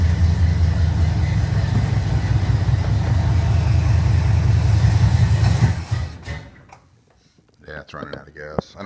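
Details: 1969 Trans Am tribute project, cold start, running on a garage-sale carburetor: the engine idles with a steady, slightly lumpy beat, then sags and dies within a second as it runs out of fuel and stalls.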